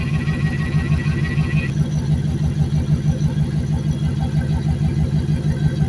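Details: Junked Dodge Dakota V8 parts truck, first run after sitting, left idling to seat rings before revving: steady V8 burble about three pulses a second, even and settling, faint whir above; normal warm-up idle.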